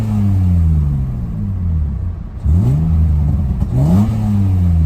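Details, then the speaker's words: BMW M52 engine fitted with lighter M20 single-mass flywheel in place of dual-mass, M20 clutch and starter; crisp blips, revs climb and drop sharply with no lag, smooth even firing, healthy free-revving engine. "So I'm gonna start it up. I'm gonna try and show you guys how light the flywheel actually is."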